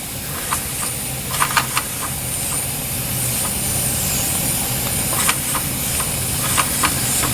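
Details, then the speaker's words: Small Empire toy steam engine with pressure raised: steady steam hiss with a few weak, irregular puffs and clicks that never settle into a running beat; failing to start, owner says it hasn't been happy recently. "I've got pressure raised in the Little Empire here you can see the steam coming out let's see if I can get this thing come on over it hasn't been quite happy recently"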